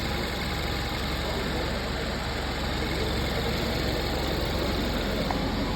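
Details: 2015 Kia Soul that had a cylinder 2 misfire and low oil pressure, after the bad rod bearing was replaced. Smooth, even idle with a steady low hum and no knocking or missed beats: the engine runs healthy.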